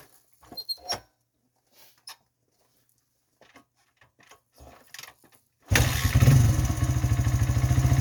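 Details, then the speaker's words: Honda XR100 with 120cc big bore kit, new carb (float level reset, 35 pilot jet) and cam, idle screw adjusted: kick-started, settles into even steady thump with no misses; runs healthy. "adjusted the idle screw and the idle speed a little bit and it actually seems to be running really well now I'll give it a kick so you guys can kind of see what it sounds like and how it idles"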